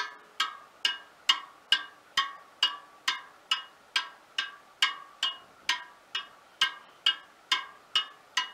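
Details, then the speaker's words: Front wheel of a 1939 Royal Enfield 500 Model J Bullet, after truing and realigning bent wheels: steady bright spoke pings at nearly the same pitch on each side, showing equal spoke tension. "20 there all sounding pretty much the same as each other so that tells me that there's equal tension on the spokes on each side relative to each other"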